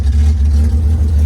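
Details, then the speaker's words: 1972 Datsun 240Z with L24 six on open headers, running after revival on gasoline from a boat tank with uncleaned carburetors: a deep, loud, even burble with no misses, idling smoothly on all cylinders. "That's on gasoline from our boat tank, idling. We haven't even touched or cleaned the carburetors in any way, shape, or form."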